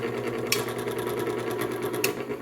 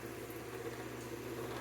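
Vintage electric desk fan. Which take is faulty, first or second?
first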